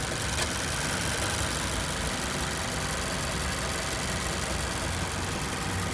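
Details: 2014 Mazda6 GJ 2.5 SkyActiv 192 hp petrol, warm idle after 15–20 km of city driving: faint, steady knocking tapping with engine speed, clearly audible; internal knock, cause unknown.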